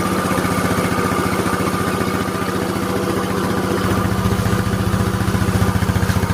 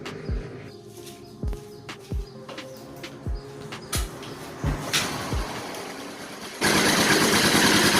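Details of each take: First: Yamaha Mio Soul single-cylinder scooter after engine rebuild for a rough, noisy engine: even, steady putter at idle with evenly spaced pulses and no knocks or ticks; normal idle. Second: Yamaha Mio Soul scooter with a rough, very noisy engine, started before teardown; after cranking clicks it runs with a harsh, clattery roar from a worn top end.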